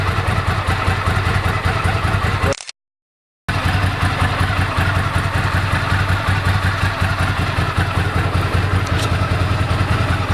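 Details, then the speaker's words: 1998 Ducati ST2 V-twin with standard exhaust, new fuel pump, HT leads, Brisk plugs, open clutch and plates and lithium battery: loping even idle with one brief dropout, open clutch audible when pulled in; idles healthily. "Ticks over beautifully now. You can hear the clutch when I pull in the clutch. And then quiet again."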